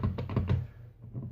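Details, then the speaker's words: Ford Escape transfer case (PTU) removed from the car after six months of driving with a rattle: dull, loose grindy clunks as the output shaft is turned by hand, from worn internals. "know that noise and rattling around inside very grindy and noisy"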